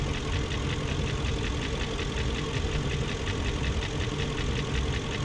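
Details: 2001 BMW E38 740i idling after Vanos units rebuilt: sharp light ticking, four to five per second, over steady idle; spark plugs tight, no codes, top-end tick cause not found.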